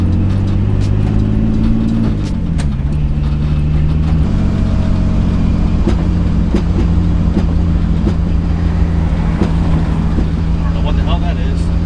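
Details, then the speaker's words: Turbo BMW E46 drift build on first drive: engine drones at steady pitch, fine below 2,000 rpm but bogs under any load, revs hanging and flattening around 1,600; cause unknown, needs work. "is that doesn't sound good at all dog life like any anywhere below 2k i'm i'm okay but obviously like i can't put any load in it like any time i try to put any load whatsoever it like it'll go to like 16"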